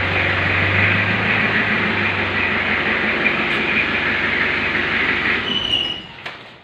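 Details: 1991 Isuzu Panther diesel being warmed up and revved, emitting black smoke; steady deep even drone with no knocks or misses through the revs; workshop says engine still good; normal healthy diesel revving.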